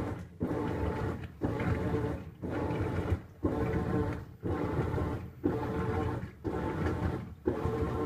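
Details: Whirlpool Cabrio washing machine, once thought broken: roaring surge about once a second with short pauses, evenly paced; normal wash action.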